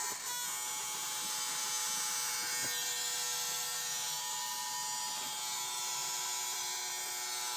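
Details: 1995 Acura Integra automatic, B20B engine with B18 distributor, key on but won't start: steady thin electrical buzz of unknown source with engine not running; engine is getting fuel.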